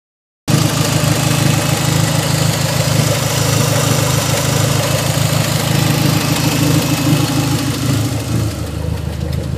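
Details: SRT-4 engine at idle: a steady low drone with a dull, regular thump about twice a second.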